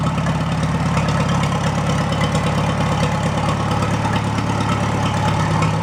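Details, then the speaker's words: Farmall A tractor with a freshly rebuilt engine at its first cold start after installation, no coolant or radiator fitted: steady, even low idle rumble with no knocks or misses and good oil pressure; healthy. "so I'm going to let that run for about 5 minutes or so it's got no Cooling in it right now no radiator I'll let it warm up"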